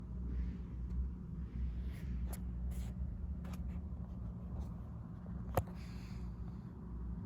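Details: Lenovo IdeaPad Slim 3 15AMN8 touchpad making sharp, hollow clicks on each single or double tap over a faint room hum; the pad clatters loudly and annoyingly when tapped in a quiet room.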